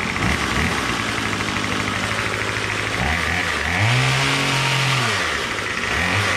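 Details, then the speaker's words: Troy-Bilt TB22 two-stroke trimmer with new carburetor, after tightening loose engine-block Torx bolt (suspected compression leak): steady buzz, revs swing up and back down cleanly with no misfire or stumble; runs normally. "now that i tightened that torx bolt it's now nice and tight and as you can see [Music] starts just fine now and it idles great"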